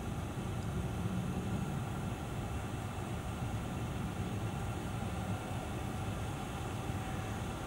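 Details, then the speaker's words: VW California Ocean parking/auxiliary heater starting up, heard near the outlet: steady low jet-like rushing roar with no knocks or rattles; normal initial warm-up noise that quietens afterwards. "Now, you can sort of feel it blowing out of there now. Sounds a bit like a jet engine. I'll let you have a little listen to it. But that's only initial warm-up."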